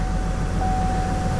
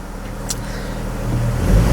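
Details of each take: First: Vortec 4.2 L inline-6 first started after a tune-up with a new air cleaner; the owner suspects a wrong mass airflow sensor was sold. Rough, uneven idle set higher than before, with a thin steady whistle; a misfire was found on cylinder 2. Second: Vortec 4.2 L inline-6 idling after a misfire was found on cylinder 2. Low, even rumble that builds slightly with no stumbles or skips; the idle is much smoother, with the cylinders firing evenly.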